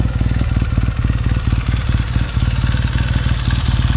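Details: 1969 Triumph T100C after rebuild, started cold on one kick: crisp, regular twin-cylinder beat at a steady fast idle, firing evenly with no misses or clatter; normal healthy running.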